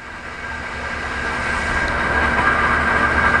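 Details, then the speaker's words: Fully remanufactured 8300-S spin rinse dryer with PSC-102 controllers and A192-80M rotors, spinning down at cycle end to the home position before the door unlocks. Steady high whine over a soft hum, no knocks or scraping; normal spin-down. "Alrighty, right about here. We'll spin down. Here we go."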